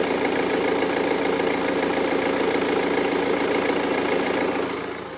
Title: BMW 320d M Sport (E92) (2011) Timing chain rattle AFTER FIX